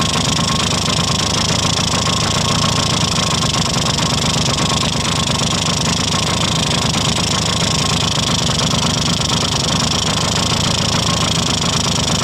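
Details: 1971 Yamaha Mini Enduro two-stroke after carburetor cleaning, first start in decades, checking the oil injection line: busy, crackling idle, steady with no knocks or misses; the oil pump isn't working, so it will run on premix. Normal idle.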